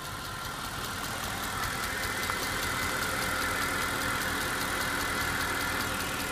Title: E63 ticking noise